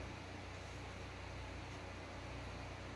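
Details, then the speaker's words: 1995 Harbor Breeze Summit ceiling fan running on low speed, which is unusually fast: even low drone with soft regular pulsing, no rubbing or clicking; runs smoothly. "And this thing has extremely fast low speed. I don't know why. It just does. Alright. Here it is fired up on low."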